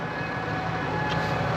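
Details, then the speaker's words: Tractor diesel idling smooth and steady once a hydraulic spool valve was returned to central; the earlier weird idle came from the spool being slightly off centre. "gone away now that Lal was just slightly off Central"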